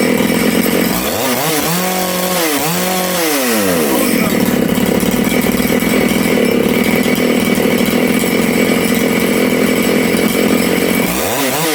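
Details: Big-bore Makita/Dolmar 6400/7900 85cc 54mm chainsaw, carb limiters removed, needles set one turn out: quick rev rises and drops, then a steady high buzz. It was lean on the low jet and nearly died when leaned further, so it was richened; high-speed is set to four-stroke.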